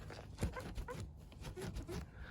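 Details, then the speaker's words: BMW F30 with black trim instead of chrome, door rocked: short high rubbery squeaks from the trim pieces rubbing, squeaking over bumps; fixed by coating those spots with silicone, lubricating the seals didn't help. "понял что вот эти места они все скрипят надо просто взять вот это все промазать хорошенько силиконом и все исчезнет"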